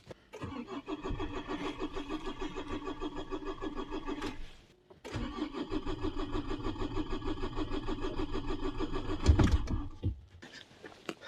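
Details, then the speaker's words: Diesel Renault Espace after running out of fuel, refilled and primed with the hand bulb, no air bubbles in fuel line: starter churns steadily in two long cranks that never catch, battery tiring; cranks but won't start. "Voilà, le circuit d'essence, il est parfait. Il y a pas une bulle. On a essayé plusieurs fois, ça veut pas."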